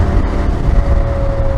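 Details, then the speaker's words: Dunlop Trailmax Raid knobbly motorcycle tyres at about 1000 miles, around 70 mph on the road: steady mid-pitched droning "wow wow" hum over road rumble, like a lorry's tyre whine; normal knobbly tyre road noise. "you get a bit of a wow wow wow wow kind of noise that's it the noise it actually sounds like is cuz you know if you ever pull up next to a lorry on the motorway and there's that sort of loud whiny hum that they get from their tires that's what it sounds"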